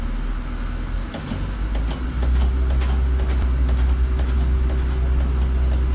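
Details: Stagecoach London bus 12144; steady low diesel drone with an uneven chugging pulse, a few beats per second, heard for a while. Cause unknown to the uploader.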